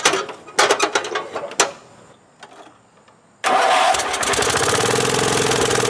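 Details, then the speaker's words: Wheel Horse 416-8 garden tractor, over 2200 hours, after a no-crank repair and a shot of starting fluid in the carburetor: cranks briefly, catches and settles into a steady, even run with no knocks or misses; sounds healthy. "so not bad let's take it for a ride so so sounds pretty good that's pretty nice well over 2 200 hours and she's still got some life left in her"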